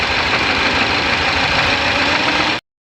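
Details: Engine with a reported dead number 1 cylinder, knocking and jerking, throttle valve not opening: uneven lumpy idle with a knocking shake and no smooth rhythm, one cylinder missing.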